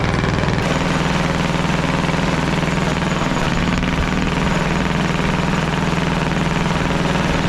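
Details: Caterpillar D8 2U crawler main diesel, first start in its revival after the pony motor was sorted; heavy, steady chugging at constant speed, no knock or miss breaking through. The motor sounds fantastic. Normal running.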